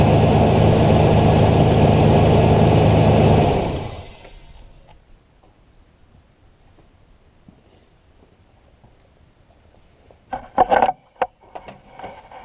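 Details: 2005 Ford Ranger idling after jump start, alternator charging about 14.5 volts: steady even idle for a few seconds, then shuts off cleanly; no knocks or whine, healthy.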